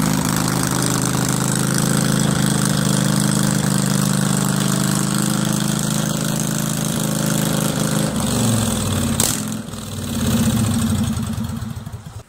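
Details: Craftsman 20.5HP 46" lawn tractor, Kohler Command V-twin, new choke cable, before carburetor cleaning: fast idle beat sags and picks back up, surging at all throttle speeds from a dirty carburetor.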